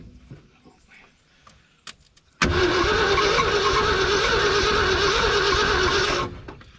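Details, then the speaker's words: Ford F100 pickup (1969 or 1971), sat abandoned for years, first start attempt with fuel added: about four seconds of brisk, even cranking at roughly three pulses a second that never catches; motor turns over well but has no spark. "i think the motor's turning over good she ain't got no fire though"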